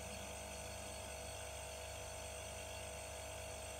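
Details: Werther Sil-Air 15D silent airbrush compressor with a fridge-style pump: a quiet, smooth, steady hum, far quieter than piston pumps. It runs normally.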